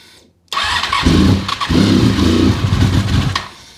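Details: Honda RC45 RVF750, first start after new spark plugs (old ones very bad) and injectors tested leak-free: quick crank, clean catch, two crisp blips, settling idle with no coughing or popping; healthy.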